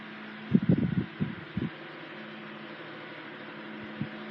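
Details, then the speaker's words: 1980s Sanyo 9-inch oscillating fan, model EF709R, 40 W 120 V, C-frame motor freshly oiled, oscillator greased, drawing 0.43 A; steady low hum with soft whir and few brief clicks. Normal oscillating fan running. "It oscillates very nicely. Gave it some fresh grease, so. And of course the motor got fresh oil. Yeah, it's a really nice runner."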